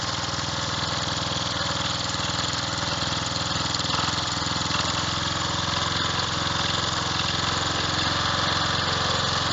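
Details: Revived old Snapper riding mower, 12.5 hp Briggs & Stratton single, after years sitting: even chug holding steady speed, no misses or knocks; sounds healthy.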